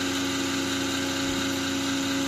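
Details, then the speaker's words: Side case fan pulling hot air out of a PC with a GA-M68SM-S2 motherboard, at power-on; steady loud whir with a fixed hum tone, so loud it was unplugged; loud case fan. "yeah and it's loud very loud it's kind of annoying so I'm going to unplug it"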